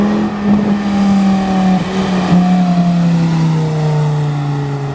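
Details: Volvo S40 T5 2.5 L inline-five, full throttle: a harsh raw roar rising and falling with revs, far too loud, from a blown flex pipe leaking exhaust just after the turbo, like a catless turbo outlet.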